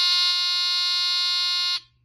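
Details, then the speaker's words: Mercedes W126 seatbelt, lights and ignition warning buzzer unit (part 04545-0732), bench-tested after replacing a bad 100uF/16V capacitor, gives a high steady buzz for nearly two seconds and cuts off cleanly; buzz time is adjustable by potentiometer, and the timed shutoff is working. "And I can adjust now the length of time with this potentiometer here"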